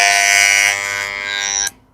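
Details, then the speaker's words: Corded Wahl Legend hair clipper: harsh, loud electric buzz that cuts off abruptly; tightening the tuning screw silences it but stops the blade, loosening lets the blade move but stays noisy, so the coil is misadjusted. "Nah, ketika saya udah kencengin suaranya senyap cuma blitnya dia enggak mau gerak. Kendorin lagi blednya gerak tapi tetap dia berisik."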